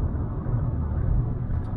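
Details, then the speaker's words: Vauxhall Corsa 1.2 petrol, 56,000 miles, after about 10 minutes of driving: steady, even low engine rumble with no rattle, tapping or timing-chain noise; smooth gear changes, healthy engine. "the aircon is blowing cold it steers nice there's no knocks and bangs go through the gears nicely engine sounds like a standard corsa unit"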